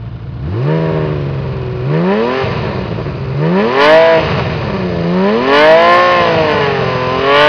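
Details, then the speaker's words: Honda CBX 1000 six-cylinder with aftermarket exhaust and non-original air filters, not run for a couple of years and due a service: repeated blips with pitch sweeping up and falling back cleanly under a loud open exhaust; revs freely. "as you can hear it runs okay but it does need a service because it's been standing still for a couple of years i will rev up the engine now for you so you can hear it"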